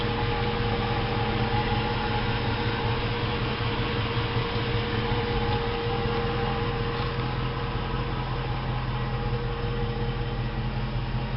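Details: 2004 Jeep Grand Cherokee V8 at idle: steady idle with a faint rough pulsing whir of about two or three beats a second. Owner suspects the fuel pump, not confirmed.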